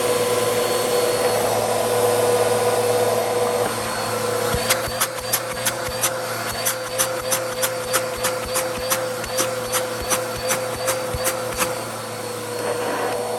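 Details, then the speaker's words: Bissell CleanView vacuum, original motor before replacement with a used motor from a donor unit: loud steady roar with strained, uneven edge and rapid ticking about three per second, worn near-failure sound; bad motor, quieter after replacement. "yep bad motor simple enough to fix"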